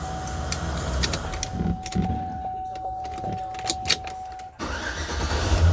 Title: 06 GMC sierra wont start